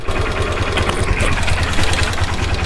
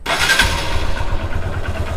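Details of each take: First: Hero Xtreme Sports motorcycle, 51,129 km, engine never opened, idling in neutral: rapid, fairly uneven light metallic kit-kit ticking over the single-cylinder idle; slack timing chain rattle. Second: Hero Xtreme Sports motorcycle, 51,129 km, after timing chain replaced with a silent chain: fires up cleanly and settles into a steady low putter with no rattle or ticking; idle smooth and healthy.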